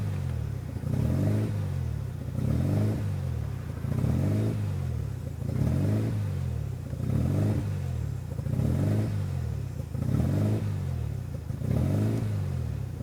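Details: RHD 1993 Mazda RX-7 rotary with newly installed Power FC, wires not cut: idle surges and sags in a slow cycle about every second and a half, never settling; rough, hunting idle.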